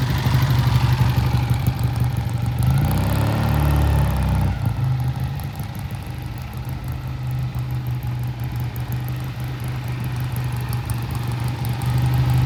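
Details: 1967 Triumph twin after pilot jet cleaning, passing by: steady, even hum rising then settling to smooth idle with no misfires; shifts and accelerates smoothly, normal running.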